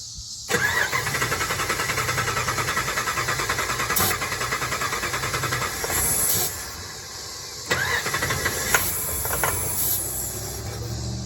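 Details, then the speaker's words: 2006 Dodge Ram 1500 Mega Cab, lifted, after a new fuel pump install: the engine cranks, fires and sputters a few seconds on starter fluid, then dies. The owner suspects fuel delivery and possibly the regulator. "You guys can tell, I mean, it's trying to run on starter fluid, which I don't quite understand."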